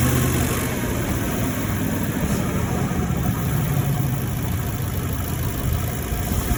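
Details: 2018 Ford F150 V8 driving: deep engine rumble under load with rapid knocking that tracks engine speed; knocking noise while driving, source unknown.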